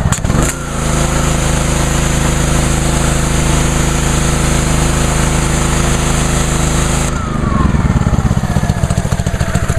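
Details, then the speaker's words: Brand-new Ryobi 3100 PSI pressure washer on its first start, 91-degree day; steady idle-down hum that switches to a rougher, louder, faster beat as the trigger is pressed and the engine comes up to speed; normal response. "See, like I said, with that idle down, the engine's running at idle. Then that'll change once I depress the trigger."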